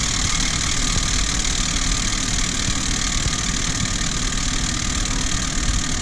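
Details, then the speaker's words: Renault Kaptur 1.6, 1 year old, 25,000 km, cold morning start: steady high whistle with gritty grinding from the engine's right side until it warms up; began after the timing cover was resealed for an oil leak; cause unclear. "после этого машина стала издавать звуки поутру на холодный двигатель непонятный скрежет свист"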